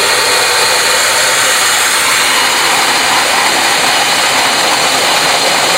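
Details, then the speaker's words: Control valve flow-lab demonstration with air injected into the line to cushion collapsing cavitation bubbles. A steady hissing flow rush with only a soft crackle left; cavitation noise greatly reduced. "So you'll hear that there'll be a lot less damage and a lot less noise that would occur in that case."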